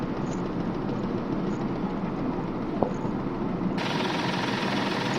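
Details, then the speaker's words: Mahindra KUV100 at idle right after start: heavy uneven shudder and low thudding beat, strong engine and dashboard vibration and knocking; injectors to be checked for one not working, cause not yet found. "इसमें engine vibration बहुत ज्यादा जैसे हम start करते हैं ऐसे पूरा धक धक धक धक ढकवा जाति है गाड़ी को"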